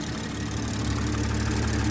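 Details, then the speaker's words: BMW 440i Gran Coupe B58, just after installing a Dorch Stage 2.5 high-pressure fuel pump and flashing the tune (MHD): after a long crank, a steady smooth idle with an even low rumble and no knocks or misses; no leaks. "Car is up and running. No leaks, which is awesome. Everything's nice and tight. It was like a long crank, but it started up fine."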